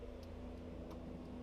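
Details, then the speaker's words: 1999 Saab 9-5, home-made 3-wire to 2-wire trailer lighting converter using salvaged relays; right blinker on with brakes applied. Faint crisp ticks about three a second over a quiet hum; relays clicking normally. "gentlemen as you see we have right blinker relays clicking"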